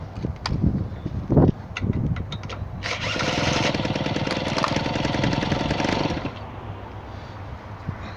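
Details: Garelli moped (possibly Brianza) with apparent Laura M48/M56 engine, drill-started: rapid raspy two-stroke crackle revving about three seconds then falling away; exhaust leaking from all directions.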